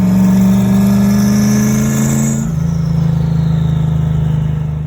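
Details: Caravan, turbo, engine rebuilt in a day after three rods windowed the block, being tuned in first runs: strong, even note holds high revs, then settles lower and smooth, with no knocks or rattles; normal revving.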